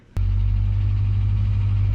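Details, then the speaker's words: 1967 Toyota Stout getting a better exhaust, at idle right after startup: deep, steady, loud but even rumble, louder than stock; owner says it gets louder under load in third and fourth gear. "sitting here like this it's loud but it don't seem super duper loud it's more when we get a load on it like third gear in the fourth gear it gets loud"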